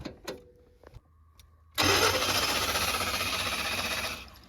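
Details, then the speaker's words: Chevy G20 conversion van, injectors spraying like a shower head, battery disconnected to reset the computer: quiet clicks, then steady cranking about four beats a second that won't catch; flooding, something commanding the injectors, possibly a vacuum leak. "I don't know if that has anything to do with it or not, but something's telling those injectors to send it off."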